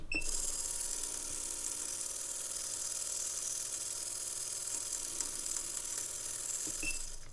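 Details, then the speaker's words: MemoryWriter 6040 floppy drive with new 3D-printed gear, before oiling: fast, dry, buzzy rattle from the small gearbox while turning, likely from large tolerances in the printed teeth; it works, and light oil later quietens it. "quiet it's quite rattly that will be probably large tolerances in the teeth but it does actually seem to work"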